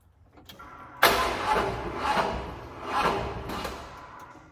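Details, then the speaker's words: Ford F-150 truck during a distributor swap, cranking with ignition timing deliberately set too far advanced: starter turns slowly and heavily in labored heaves, fighting each compression. This caused a hard start and had already burned up one starter solenoid. "you can see it has that much harder start where the starter's fighting against the timing"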